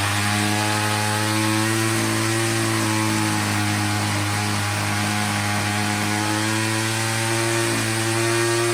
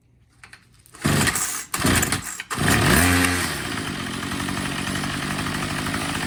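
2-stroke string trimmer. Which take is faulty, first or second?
second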